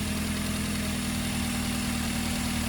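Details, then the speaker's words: Duratec engine warming up at idle: knocking lifter tick fades to faint light tapping as it warms, said to be common and normal, because lifters hold too little oil; cleaning clogged cylinder-head oil passages can help. "you hear that knocking that's a common sound on a dur attack till it warms up once it warms up that noise goes away"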